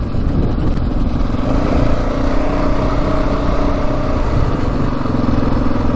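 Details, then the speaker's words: Stock Yamaha Raptor 700 special edition single on its first ride: a strong, even engine note holds steady under load with no top-end rattle or ticking, no case leaks and no overheating; healthy running. "Alright, first ride was a big success. Engine sounds amazing on it. No rattling sounds from the top end."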